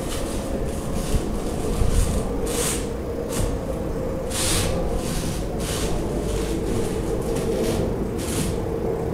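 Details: Peugeot Bipper, microphone at the front, right side: irregular sharp clicks a few seconds apart as the steering wheel is turned.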